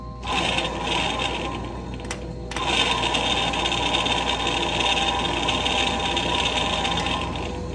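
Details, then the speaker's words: 1964 Ford Galaxie generator bench-tested with fan belt off, battery positive wired to A terminal: spins steadily but coarse, scratchy, uneven rumble, bearings suspected worn; generator and regulator were replaced, then charging about 14.5 volts. "it does work but it sounds pretty rough it sounds like the berries in there are shot so you know some replace some car parts"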